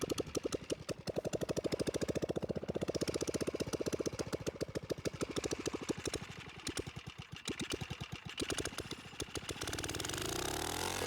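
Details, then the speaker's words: Tecumseh OHH50 single on a vintage Manco American Express go-kart, fresh rebuild, rigged fuel pump, cold icy weather: thumps fairly evenly then stumbles and falters on throttle; it bogs off the line and the owner suspects it needs a bigger main jet. "I think as it sits right now, it might need more main jet, which is all, you know, it's all in the tuning really because it kind of it runs good, but it's kind of got a bog off the whenever you off the line, whenever you give it the gas."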